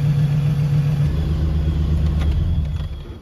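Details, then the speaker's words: Engine runs rough at startup, smelling of raw fuel in the cylinders, then cleans up and settles into a steady, even idle with no misses or knocks; the roughness happens only on startup. "you can see now cleaned up it only does this on Startup after it does that it acts fine"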